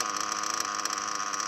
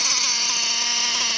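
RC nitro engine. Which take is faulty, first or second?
second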